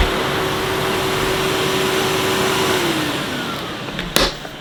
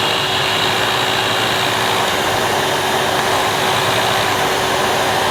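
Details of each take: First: 2005 Numatic Edward Turbo vacuum, turbo electric head that previously cut out intermittently, retested after cleaning; steady, even motor hum with constant brush-head whine and no dropouts. Power head now runs continuously, normal running. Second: 2005 Numatic Edward Turbo vacuum with turbo electric head: steady roar with brush motor hum that sags and winds down near end; head cuts out intermittently when moved, owner suspects short in head's neck or the switch.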